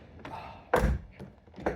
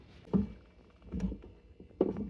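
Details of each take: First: C5 Corvette (1997–2013) driver's side lower door hinge after replacement of the squeaking, groaning spring-and-roller hinge: door swings and shuts with solid thuds, no creak or groan; quiet door hinge. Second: C5 Corvette driver-side lower door hinge, with its spring and roller pin, at about 95°F: the door swings with dull pops and short woody creaks; it is worse when hot, lube helps only a little, and the hinge is due for replacement.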